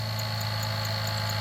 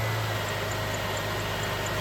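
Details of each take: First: 2006 Jeep Liberty 3.7L V6 at idle: constant low hum with a fixed growling, grinding undertone. The alternator bearings are failing although it still charges. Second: 2006 Jeep Liberty 3.7L Chrysler V6 after alternator replacement and belt reinstall: smooth, even idle hum with one brief thump and no belt-drive growl. The earlier noise is gone; normal idle.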